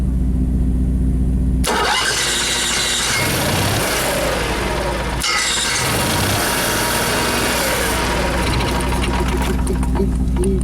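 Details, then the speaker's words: Motorhome after fixing bad chassis-battery grounds that caused erratic gauges and dead jacks, owner unsure it would stay running: quiet hum, cranks and catches promptly, even run; starts and keeps running normally. "Let's see if this thing will start up. I don't know if it'll stay running, but better and better."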